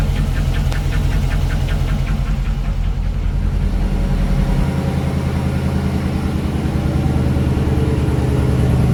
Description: Hemi 5.7 engine ticking on idle,but with idle rised noise disappeared, head was removed to check the lifters and all was good,problem found cilinder damage duo to poor maintenance and engine abuse